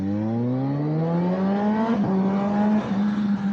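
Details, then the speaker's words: Kawasaki ZH2 on a test ride after an electrical/ABS fault (likely from wrongly installed rear wheel spacers) was fixed and codes cleared: engine climbs smoothly under hard throttle, with clean upshifts and downshifts; normal acceleration and shifting. "Alright, well, it shifted just fine. Kept under power pretty good. Downshifted good."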